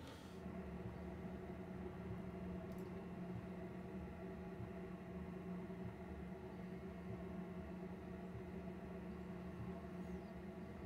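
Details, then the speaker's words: Planar/Autoterm 2D 12V diesel heater, PU-5 controller, mounted 90° in a Microlite Cargolite camper's underfloor box: even, steady low hum and drone with no rhythmic pump ticking; after Kilmat sound-deadening layers, the "DK DK DK" sound is no longer heard. Normal running. "that's fairly good for the exhaust and air noise like that doesn't seem quite as loud but I'm not hearing that DK DK DK sound anymore"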